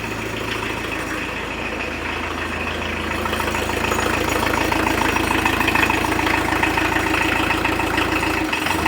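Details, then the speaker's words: 1986 VW T25 with the 1.6 JX diesel, stored since 2017, first start after an earth cable upgrade, blown-fuse fix and fuel priming: a steady, clattery idle with an even diesel knock around three beats a second and no misses. Normal running. "It ain't that quiet, is it? Brilliant. I'll keep that going for a bit. Sounds like a 40-year-old diesel. Nothing wrong with that."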